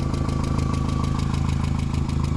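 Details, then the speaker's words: 2001 VW Jetta at idle: fast, light, even ticking at about eleven a second. The owner judges it valvetrain tap, not lower block, and will adjust the valves if needed. "it's a valve worst case we'll just [ __ ] pull the top off and adjust the valves"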